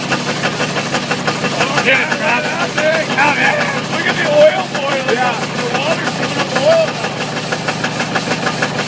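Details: Ford 351W V8 with a spun rod bearing, abused: a heavy, uneven clattering rod knock pounds through rough running with surging loudness, near failure, coolant spraying and the top starting to burn.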